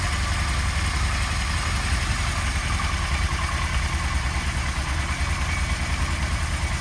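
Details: 1977 Kawasaki KZ1000A, 27,004 miles, new clutch cable; even, steady four-cylinder idle with smooth low rumble, no knocks or rattles, sounds healthy.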